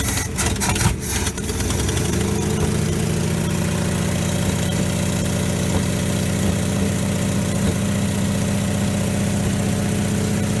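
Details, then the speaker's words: 1957 GMC 370 fire truck, original Pontiac 347 V8, found seized after sitting 20 years, 6625 miles, fed from a gas bottle to the fuel pump; warming up to free stuck rings. It catches, then idles low and lumpy. Carburetor needs a rebuild; it's vaporizing leftover water. "Definitely needs a carburetor rebuild. It's vaporizing whatever water is left in that engine."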